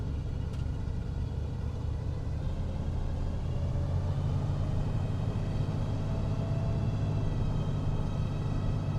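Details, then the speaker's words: 1971 Buick LeSabre Custom 455 V8, warm idle: smooth, steady low idle with an even beat, power steering pump audible, no top-end ticking; normal warm idle. "I think I hear power steering pump sounds good good news is I don't hear any ticking yet"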